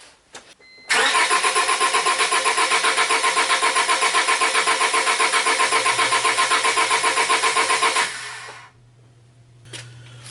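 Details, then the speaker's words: 2000 Honda Civic EX 1.6L D16Y8 with a stumble and rough running, cranked with the fuel pump fuse pulled for a relative compression test: even cranking at about four beats a second for seven seconds, no stumble or hesitation. "So did you notice the cranky cadence? There was no stumble or hesitation or anything like that, and it's been doing that since I disabled the fuel pump."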